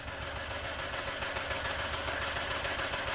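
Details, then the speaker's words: Engine idling rough with a stumbling beat of about three a second under a busy clatter, and a smell of fuel; a misfire on cylinder one, found as a hot spot with a thermal imager. "it sounds like a misfire it smells of fuel so I'm guessing a misfire"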